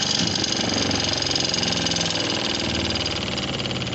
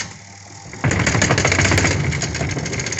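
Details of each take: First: Dawlance home spin dryer after the motor coupling, which had excessive play, had its nut-bolts retightened: an even, steady motor whir with no knocking, rattle or wobble; the motor that was noisy before now runs smoothly. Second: Home spin dryer motor at start-up: rapid, uneven knocking about four per second as it spins up, caused by a loose clamp on the motor shaft coupling.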